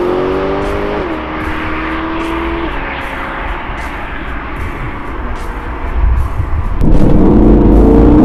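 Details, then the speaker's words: Rebuilt BMW E92 M3 with DCT dual-clutch transmission on its first test drive after the rebuild, no warning lights. Revs climb cleanly with quick, crisp upshifts and a brief pitch drop each time, no misfire or clunk. Normal acceleration and gear shifts. "But this DCT double clutch transmission in the BMWs, it is so much smoother, so much more refined, and it is so quick."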